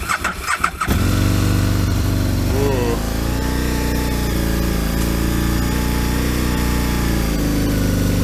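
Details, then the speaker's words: Kawasaki ZX12R on a freezing cold morning with choke: a second of sluggish, uneven cranking blamed on the battery, then it catches and settles to a fast choke idle. "L that battery a bit sluggish then wasn't it just got it going though"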